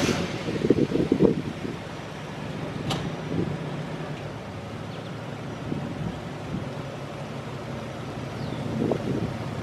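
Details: Buick Roadmaster wagon V8, tested outside after installing electric exhaust cutouts: a deep, even burble with a steady rumble and no ticks or misses, sounding better than expected; engine and exhaust are healthy.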